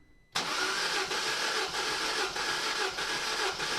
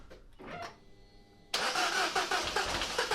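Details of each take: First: Peugeot 207 CC, EP6DT engine (owner's ID from VIN), cold compression test on cylinder one, checking for bent valves. Even, steady cranking beats about two a second, no stumble; 185 psi reading. Normal cranking compression. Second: Peugeot 207 CC, EP6DT engine (owner's ID from VIN), cranked after cold compression test with fuses refitted. Starter churns with uneven catches about two a second, almost starting, never settling to idle; cause unknown. Crank no-start, fires briefly then dies.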